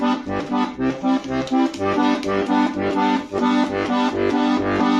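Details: Bayan (button accordion) with solid steel reed plates, after the reeds were centred to cure a squeaking bass G voice on the pull: clean, steady notes and chords with no squeak or rasp; reeds speak normally.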